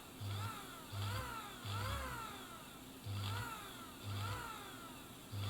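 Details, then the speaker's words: Bernina Record 830 sewing machine motor, checked for brushes and capacitors, bench-tested unloaded via foot controller at slow speed: short slow pulses with a light rising and falling whir, no grinding or scraping; motor runs fine. "but in a little you know slow slowly like that so you know just slowly probably okay for a test"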